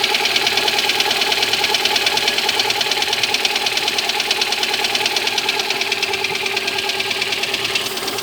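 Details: Lada Granta engine cold: sharp, very regular metallic ticking knock about three per second over steady idle; knock on a cold engine, cause unknown.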